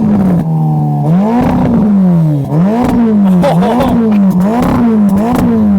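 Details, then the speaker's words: Ferrari Roma, 3.9-litre twin-turbo V8, 620 hp, just started, stationary: crisp repeated throttle blips, pitch rising and falling cleanly, clean return to idle; healthy engine. "Let's have a bit more. That's enough. Yeah, it sounds awesome."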